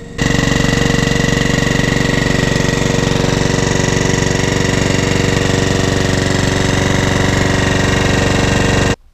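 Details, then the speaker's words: Mountfield 164 mower with RS engine that had been partially seized, freed and serviced: the small single runs smooth and steady at constant speed with no misses or knocks, then cuts off cleanly; healthy engine after the fix. "that's all done now, and I'm happy with it. So when these little RS engines run right, they run really"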